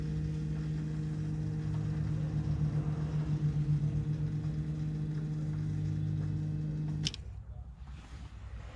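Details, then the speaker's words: BMW F15 X5 35d diesel after fuel filter replacement, primed without scan tool: steady hum with faint fluttering pulse about seven seconds, then stops; air being pushed through. "you can hear all the the air being pushed through now normally when you do like a scan tool uh and prime the system it'll prime like three to five minutes"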